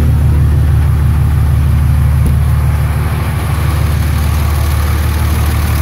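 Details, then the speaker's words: 24v Cummins diesel, about 330,000 km, cold start right after valve lash adjustment with valve cover off: deep, even idle pulsing around three beats a second, previous tick gone, considerably quieter; normal idle. "well it's considerably quieter wow I can already notice that sounds great actually I don't know if you can hear me over my loud comings or not but she sure is way more quiet with that valve lash adjustment"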